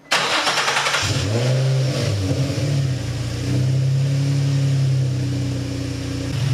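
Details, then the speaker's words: Infiniti G35/Nissan 350Z VQ35DE after replacing a failed idler pulley tensioner bearing that caused an rpm-linked whine: clean crank and catch, smooth revs settling to even idle, no belt whine; normal start and rev. "that is exactly what it's supposed to sound like dude it sounds good"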